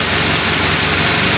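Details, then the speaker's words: Carbureted car on LPG (second-generation system), warm reducer, adjusting the reducer diaphragm: loud, low, uneven lumpy idle, rpm dropping and wavering; mixture too lean on LPG. "так обороты смотрите падает его за знать подкашивать на отлично еще прекратил смотреть еще его колбасит"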